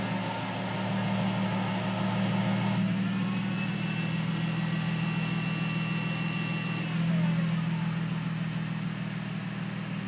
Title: SLK Whining Noise